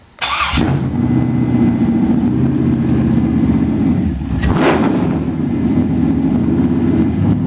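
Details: Rebuilt LS 5.3 bored to 5.7, with flat-top pistons, hardened pushrods, 243 heads and a TSP 228R cam, at its first start after rebuild: a brief crank, an immediate catch, then a strong, steady, slightly lumpy cam idle with no knocks. Normal start and idle.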